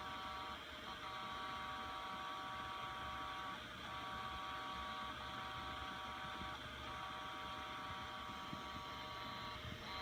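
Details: Seagate Enterprise Capacity ST4000NM0035 HDD sitting idle: a steady hum broken about every three seconds by a brief head seek-and-park sound; a firmware update fixed it.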